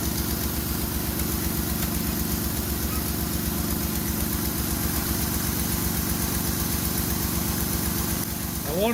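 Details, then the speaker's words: Ford Escape (2001/2002) after spark plug hole thread repair: steady even idle pulsing about four times a second, no puffing or ticking from the plug area; no longer blowing. Normal idle. "it probably sounds a little bit funny but they almost sounds like it's blowing by it's not that's the engine noises"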